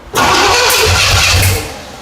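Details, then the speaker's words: 1977 Pontiac Firebird barn find, sat 18 years, on first start of its overhauled small-block Pontiac 350. Cranking catches in a loud, rough, backfiring burst that fights and dies. The distributor is 180 degrees out; the fix is to pull and rotate it. "So, classic mistake. We got the distributor 180. That's why it's backfiring."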